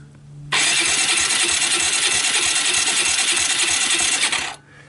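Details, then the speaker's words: Abandoned Suzuki Quad Runner LT160 ATV, starter hotwired directly because the solenoid is dead: steady, even cranking for about four seconds with the rhythm of compression strokes. Engine has compression and is not seized. "sounds like I have compression and everything"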